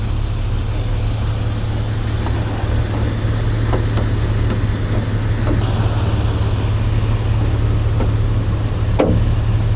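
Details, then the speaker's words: 2005 Jeep Wrangler TJ 4.0L petrol six warm idle: steady, even low hum, and the buzzing or whistling heard only after full warm-up is gone. "As you can uh as you can tell, no more whistling or buzzing, whatever the hell that noise was it was making. She's running smooth again."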